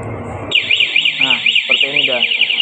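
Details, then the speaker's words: Motorcycle fitted with an ECO 9 anti-theft remote, engine killed remotely at a distance: it dies suddenly and cannot restart, then a loud, rapidly warbling siren starts abruptly and cycles evenly; anti-theft alarm sounding after remote kill. "Motor akan mati tiba-tiba mati seperti itu ya. Dan bunyi sirna barulah bisa teriak maling gitu ya."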